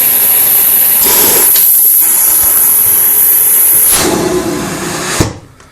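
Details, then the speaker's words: Central vacuum with a good-quality 1 3/8 inch crushproof hose: steady, strong rushing airflow with a high, even whine and no surging, audibly stronger than the old wire-reinforced hose; airflow meter reads 7 versus 3; normal strong suction. "You can actually hear the difference. That's got amazing suction, and our meter says 7."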